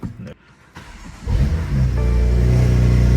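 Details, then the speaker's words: Ten-year-old BMW M4 track car, cold start after new spark plugs and charge cooler, stock chargepipes refitted, filled with distilled water; quiet, even idle with exhaust valves closed, no misfire or tapping. Normal cold start. "the valves are closed. That's why it's so quiet. Now it's loud."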